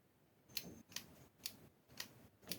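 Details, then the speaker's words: 12 V 40 A automotive relay, coil energised by applying live and earth to terminals one and two: five crisp clicks about half a second apart as it pulls in cleanly; normal relay operation. "hopefully you hear that clicking and what that is doing is making is connecting those two together"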